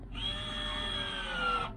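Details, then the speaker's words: 2006 Land Rover Discovery 3, 270,000 km, electric park brake applying after repairing the park brake module: short, smooth motor whir of about a second and a half, quick and even, no grinding or straining; operates normally. "oh my God and it sounds quick and quiet just sounds right yeah it sounds quiet"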